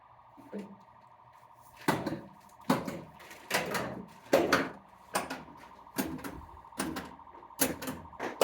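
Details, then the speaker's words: Barn-find Stern Wild Fyre pinball during solenoid test: a steady warbling tone runs nonstop under the test sounds; solenoids 1–4 (solenoid-driver sounds) seem to work, and the source of the constant background noise is unknown. "I think those are working we've just got a trimmer that's constantly going in the background I don't know what that's about"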